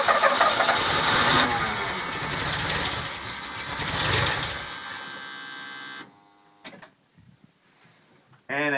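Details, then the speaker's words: Stock DeLorean engine (VIN 10719), freezing cold, cranked with no throttle: catches into a rough, uneven run for several seconds then cuts out abruptly; runs fine warm, cold start valve checked okay. "you can see it dies pretty quickly if it does ST"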